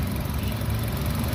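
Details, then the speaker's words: 2014 Nissan Evalia ST engine idling, heard at the engine bay: steady low idle hum with an even beat and no knocks or ticks; engine sounds smooth, normal healthy idle. "Untuk bagian permesinannya seperti ini. Suaranya halus teman-teman. Suaranya masih apik, masih"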